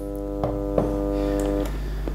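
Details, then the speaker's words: PC speakers powered on, not connected to a computer, no music: a couple of switch clicks, then a strong steady mains-voltage buzzing hum. "this is a typical sound this is the sound of the mains voltage so why do these loudspeakers sound like this"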